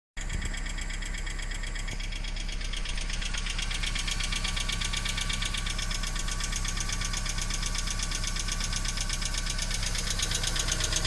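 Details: BMW E46 318i 118hp cold start: fast, even metallic clatter over the cold idle, tracking engine speed, sometimes stopping and returning after throttle; hydraulic lifter noise, fixed by replacing the lifters.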